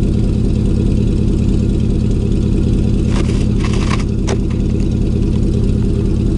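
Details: 2000 Chevy 4.8 V8 truck lightly revved with four coils deliberately unplugged, running on four of eight cylinders; rough, lumpy blip with an uneven, loping beat under the revs.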